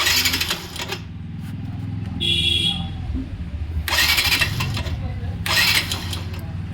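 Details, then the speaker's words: Yamaha Saluto motorcycle after repair of a starter whose bearing had dried out from heat: three short, crisp starter whirs with no grinding or squeal, normal cranking like a new starter. "তো সেলফটা complete করার পর আওয়াজ শুনে তোমরা বুঝতেই পারলে যে সেলফের কিন্তু আগের মত আওয়াজ নেই একদম নতুন সেলফের মত আওয়াজ হচ্ছে"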